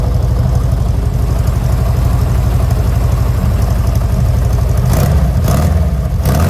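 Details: 1970 VW Westfalia air-cooled engine, first start after engine-compartment upgrades including new Webers, air filters not yet fitted: even low putter, steady and settled, a few brief louder bursts near the end. Normal idle.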